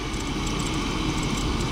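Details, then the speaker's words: Jeep WJ accessory drive, engine hot: fast, faint, high-pitched chirping over running engine, heard from down low; dry sealed idler/tensioner pulley bearing, later removed to grease. "There it is. Hear it? Little birdie in there. Little birdie. Sounds like it's coming from down yonder."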